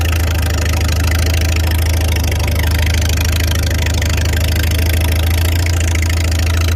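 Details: Farmall 300 Row Crop, 600-hour tractor, test drive after exhaust manifold replacement (original rusted through) and clutch adjustment, camera on chest rig; steady, even low-pitched engine note under way, no knocks or misses; running healthy, TA working.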